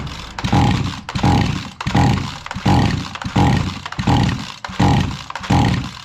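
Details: Cheap Chinese-engine petrol tiller that won't run: about eight rope pulls, each a rising whir with no firing or catch. The engine was starved of fuel by a torn filter.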